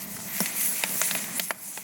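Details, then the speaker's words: Afghan kazan pressure cooker during preparation boil, moderate temperature: steady high hiss of steam from the relief valve with faint ticks and rattles; valve venting normally. "вот слышите Как шипит Вот видите пошёл пар из клапана клапан работает"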